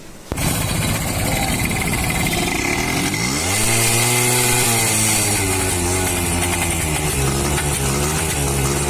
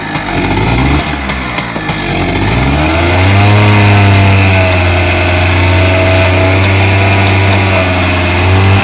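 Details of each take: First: H100S motorcycle misfiring on pickup from start, revving unevenly with a hissy puffing sound; starting coil in the circuit found to be a rewound one and circuit marks disordered. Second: H100S motorcycle revving up to a steady, even high speed with no misfire. This is after a faulty coil was replaced with a new original one and the carburetor was adjusted, fixing the misfire on pickup.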